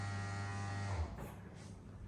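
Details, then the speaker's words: 2013 Vauxhall Corsa D ABS pump active test via scan tool, front left wheel had no brake effort (ABS module later replaced): steady low motor hum about a second then winds down; pump working normally. "now we can test the pump the pump is is working so press on you can hear the pump I'm going to turn it"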